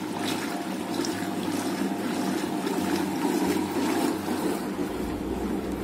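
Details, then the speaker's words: Washing machine running without its control module, rewired with a timer and added switch: spin motor turned on with the extra switch once the load is dry enough, turning one direction only; steady even whoosh and churn, no knocking or grinding: normal spin. "Oke, ketika sudah cukup kering, sekarang kita putar motor dinamonya. Nah, ini kita nyalakan saklar tambahan tadi. Jadi putarannya cuma searah ya kalau ngeringin itu."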